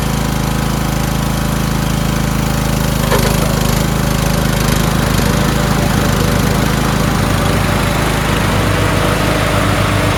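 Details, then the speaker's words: Toro Wheelhorse 1438HXL with repowered 17.5 hp engine, after mower deck belt and pulley replacement: loud steady single-cylinder thump with deck spinning, even beat, no slipping or squeal; everything works. Normal running with deck engaged. "Great, huh? Everything works."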